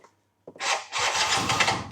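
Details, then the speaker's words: Yamaha BWS 100 two-stroke scooter starting from cold; brief weak grind, then slow, labored cranking before it catches, starter gear spinning once running; slipping starter clutch. "did a little bit then it's just struggling to start now it's making a lot out of me [Music] and see once it starts you get that gear spinning"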